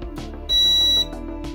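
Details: Old Maytag dryer heating element that stays on, tested with a multimeter across its terminals: short, clear high beep of about half a second shows continuity through the element loop, so the element is intact; element suspected of touching the housing.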